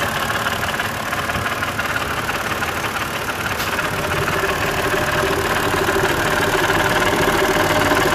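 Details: BMW E90 325i, N52 engine, at idle: loud, busy metallic rattle about three clatters a second, seemingly from inside the head, with engine light and codes 2A87/P0015 exhaust VANOS fault.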